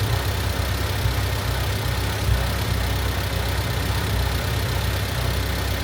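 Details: Honda Civic EG Mugen hatchback four-cylinder after valve seals, timing belt and water pump replacement, idling not yet up to temperature while ignition timing is set to 16° with timing light, timing wire jumped: steady, even low idle, smooth firing, no knocks or ticks; running cleanly.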